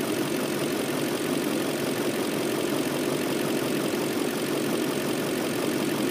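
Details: BMW M62B44TU V8 at idle with stock exhaust, after the timing chain tensioner was replaced with an aftermarket INA part: smooth, even idle with a steady hum, no chain rattle or ticking; sounds healthy.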